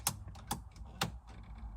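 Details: 2004-06 Pontiac GTO locked ignition: sharp, dry clicks about every half second as the broken ignition lock cylinder is forced round with grips, since it cannot be turned by hand; cylinder broken inside.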